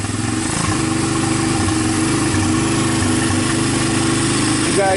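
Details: Honda TRX300EX single, formerly seized, running on PZ27 carburetor via adapter with starter on 12-volt jump pack; steady even idle thump, no knocking, rattling or timing chain noise; normal idle.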